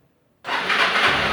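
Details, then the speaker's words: 2021 Honda Fan 160 motorcycle, first cold start of the day: quick catch into a smooth, steady idle with no tapping or rattle; owner hears none of the engine noise others report for this model. "Assim, eu não vejo esse barulho todo que os caras falam não, sabe?"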